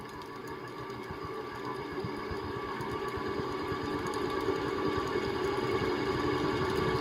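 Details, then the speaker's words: 1979 SMC M48 metal-blade ceiling fan: quiet steady hum with soft clicking and clunking about four times a second, growing louder as it spins up; worn motor bearings, likely dirt, gunk or rust. WD-40 made it worse. "very very powerful fans there 1979 you can hear that clicking and clunking probably which is the it's due to the dirt and gunk or rust or whatever that's in the bearings"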